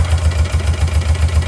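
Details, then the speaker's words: Motorcycle twin with one dead cylinder (plugs changed, coils swapped, no change), dead side unplugged: uneven lumpy idle with pulsing low beat and missing firing stroke, running on the single good cylinder. "well, it doesn't sound quite right, but it sounds a lot better than the other side when it runs. I unfortunately got stuck at work when this happened and had to drive back on the one cylinder."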